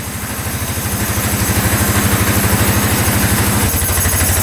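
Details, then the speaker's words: 2013 Polaris Sportsman 550 EFI EPS 4x4 ATV a dealership wouldn't fix; it fired right up after the starter solenoid was bridged (solenoid suspected). Steady single-cylinder thump, about three beats a second, settling as it warms, no knocks or misses: normal idle. "that sounds really good that was a huge surprise wow"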